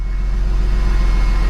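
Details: Porsche 996 911 just after alternator replacement, briefly run without coolant and low on fuel, charging just under 14 volts: deep steady low rumble with even pulse, no knocks or squeals; normal idle.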